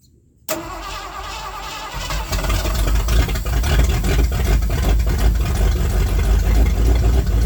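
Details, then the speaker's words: 1979 Ford F-100 started after sitting for years, float bowls filled with gas: starter catches within a second, settles into a steady, even idle with no misses or knocks; healthy start. "She runs good."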